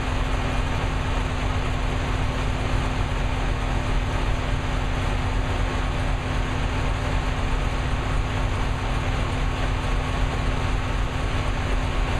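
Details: New V8 with a Lunati 60140 solid cam, at operating temperature after hot lash adjustment from about .010 to .014 intake/exhaust: steady, even idle with a light, quick valvetrain patter and no heavy knock. Healthy, lash set properly.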